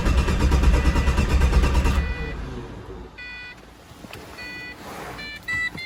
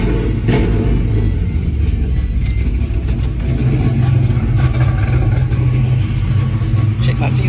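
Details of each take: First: Pontiac GTO cranks steadily for two seconds but never catches, then chimes; no fuel pressure with the pump running; the cause turned out to be a bad fuel line fitting, not the hose; crank no-start. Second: GTO with ongoing fuel issues, restarted after fuel pressure was checked: fires and settles into a steady, even low rumble with no misses at idle, fuel pressure about 50-55 psi at idle; owner suspects pressure drops when the throttle is opened.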